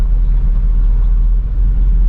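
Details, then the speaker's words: 1971 Pontiac Formula barn find, driven slowly a couple of blocks on old tires: deep, steady rumble with no knocks, misses or rattles. The motor sounds good. "Sounds like a good motor, you know?"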